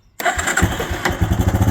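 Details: Four-wheeler after replacing failed starter solenoid with new connectors: after brief silence engine catches at once and settles into an even steady idle with regular beat; clean normal start.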